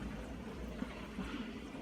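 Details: Miele G4500SC slimline dishwasher recovered from a skip, which first blew a fuse, with salt added: low even hum with soft water swishing, no squeal or grinding; washing normally.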